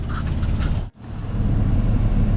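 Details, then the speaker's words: Lexus GS300 2JZ-GE VVTi, warm, after a timing belt and water pump job: deep, loud idle rumble with a puffing, tapping tick from an exhaust leak, not from inside the engine. The exhaust was resealed but not completely. "start it up everything's good partners coming from the exhaust leak it kind of tacked it up a little bit"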